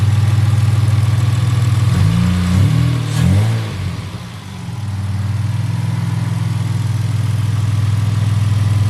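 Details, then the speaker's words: 1975 Toyota Crown MS85 with 2JZ engine swap, first start with new fuel system and exhaust: steady low even idle with one quick rev blip that settles straight back; good oil pressure, no overheating; healthy running. "guys you heard it she purrs like a kitten she runs good she sounds good"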